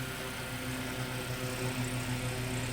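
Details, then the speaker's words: Restored vintage Robbins & Myers oscillating fan after reassembly: low, steady hum with a soft even whir and no rubbing; it turns the right way, and the earlier noise cleared, likely from the brushes settling in; normal running. "It's going in the right direction and it oscillates and whatever that noise was worked its way out. So, I think the brushes were settling in or spinning."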